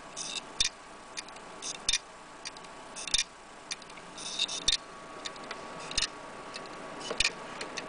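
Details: Laptop hard drive that is not read or detected at all: sharp, dry clicks about every 1.25 seconds over a quiet background; failing heads, the classic click of death.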